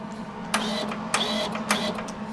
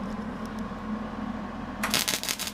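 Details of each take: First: Millermatic 135 MIG welder with a trigger/wiring failure: wire feed motor whirring in short bursts that cut out unpredictably under a steady hum, not responding to wire speed or voltage changes; intermittent wire feed. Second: Millermatic 135 MIG welder after repairing its trigger wiring failure, power turned down: low steady hum then crisp crackling bursts as the arc strikes and holds; normal MIG welding arc.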